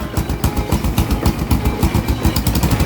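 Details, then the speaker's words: First-generation Honda Supra X 125 running after electric start; quick even single-cylinder putter, very responsive, engine smooth with no strange noises, though the exhaust seems to be leaking. "Ini suaranya khas banget. Supra 125 tuh. Pastikan kalau kalian mau beli Skystarter langsung hidup dan enak kayak gini. Nah, sangat amat responsif guys."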